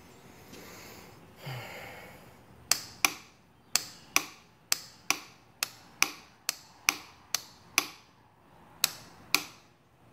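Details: 2015 Yamaha Raptor 700SE: sharp dry clicks about twice a second from the starter solenoid, repeating with no cranking; won't start.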